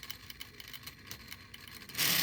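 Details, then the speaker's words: 3D-printed Newman pulse motor, smaller prototype about 40% scaled, lowered to about 2.6 volts: light quick regular ticking pulses, nothing deep underneath, still going; normal running. "there's two points 0.6 volts and it's still going that is really cool 2.6 volts"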